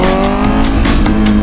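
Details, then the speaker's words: 2025 Honda CBR1000RR-R Fireblade SP with full exhaust, after EDR Performance ECU re-flash: engine pulls cleanly through the revs with no hesitation; previously horrendous throttle response now fixed. "The excitement is coming from it finally working correctly. Like the throttle response was horrendous."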